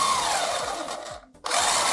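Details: Cheap Hurricane RC buggy drive motor, remote on: high, even whine that stops briefly and spins up again, running freely with no grinding; steering servo not turning and suspected.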